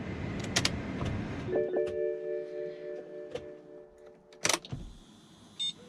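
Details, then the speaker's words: BMW E60 M5 S85 V10 after fuel injector replacement, key-on before start: brief half-second electric whir of the fuel pump under the rear seat among door clunks; normal fuel pump priming. "you can just hear that fuel pump running momentarily in the back there under the back seat"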